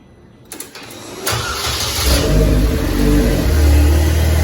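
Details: DF Goblin project car, first start late at night with no exhaust fitted: brief cranking, then the engine catches and settles into a loud, raw, steady rumble. Healthy first start.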